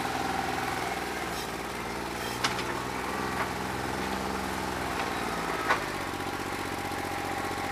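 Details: New Holland 1320 diesel tractor with a bad injector: steady idle with an uneven, lumpy clatter and occasional sharp knocks. It runs rough and did not loosen up when hot, even after 3 hours of loader work.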